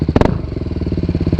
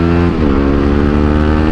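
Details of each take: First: Motorcycle with an Akrapovic exhaust that burst and was repacked with carbon, now much louder: two sharp exhaust cracks on a quick throttle blip, then a lumpy idle. Exhaust popping on blip. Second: Motorcycle on its original exhaust, before it blew and turned loud with popping: deep, mellow single-cylinder note rising and falling with throttle blips, smooth and even with no rasp. Normal exhaust note.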